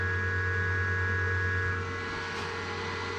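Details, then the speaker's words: Power station/solar generator after replacing the blown 20 A 250 V PCB fuse, charging on AC at about 1,000 W: even steady fan whir over a low electrical hum, no rattles or surging; normal charging with fans running strong. "Fans going strong. Alright, it looks like that's fixed. Easy fix."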